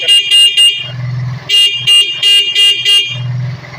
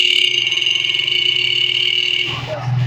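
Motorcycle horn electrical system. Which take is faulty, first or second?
second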